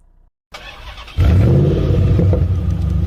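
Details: Peugeot RCZ 2.0 HDi diesel, parked 12 weeks, earlier no-crank fault fixed by checking starter fuses, solenoid connector and cable resistance, no parts changed: short crank, catches at once, settles into steady even rumble; normal healthy start.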